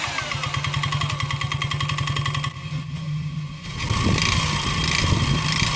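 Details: 139QMB 50cc single with a deliberately ground-down piston skirt and sanded cylinder, giving excess clearance. Revving hard with a fast, rattly knock on the exhaust, about three or four a second: piston slap. It ran two hours without damage.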